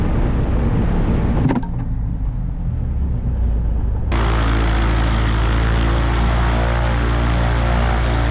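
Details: Aviat Husky aircraft engine on its second start after rebuild and overhaul following submersion: catches around four seconds in and settles into a steady, even low idle drone, healthy and smooth.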